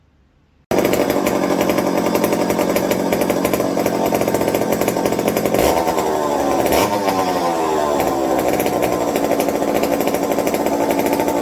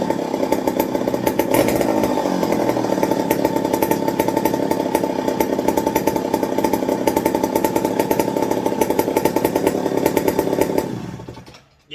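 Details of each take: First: McCulloch 55 gear-drive chainsaw after a homemade scouring-pad tank wick and a swap to an 090 carb: runs hard and steady, then stumbles twice before picking up; intermittent cutting out, on/off switch suspected shorting in the handle. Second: McCulloch 55 gear-drive chainsaw after fuel wick replacement and 090 carburetor swap: hard, even two-stroke rattle for about eleven seconds, then shuts off; it runs and holds idle.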